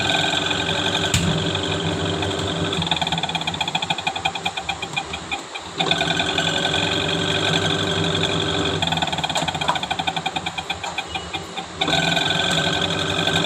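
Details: Panasonic Active Foam 8 kg washing machine, empty drum on spin: loud rough clattering rattle surging and fading. Noise during spin, gearbox and motor being checked, cause not yet clear.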